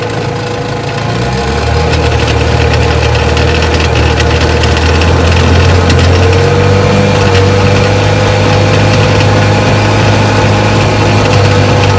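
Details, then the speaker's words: 1961 10 hp Johnson two-stroke outboard, first run on the water after restoration: uneven, sputtering beat under power, never reaching high speed, as one cylinder misses from pitted ignition points. "when you power it up it would miss and sputter and wouldn't get up to high speed"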